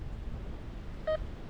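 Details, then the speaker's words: RM RICOMAX 1022 metal detector in discrimination mode over a rejected nail: only one short mid-pitched beep over low rumble, not repeated; discrimination working correctly. "Every once in a while you get a beep, but it's not repeatable. So that tells me that the discrimination mode here is actually working pretty good."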